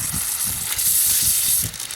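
A steady high-pitched hiss of water spraying out under pressure; there's a pinhole leak in that coupling.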